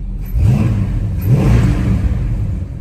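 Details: 1968 Dodge Charger 383 big-block V8 after changing the points gap and resetting timing (it had retarded 6–7 degrees): two quick blips rise and fall cleanly, settling to a smooth, steady idle with no stumble; running properly.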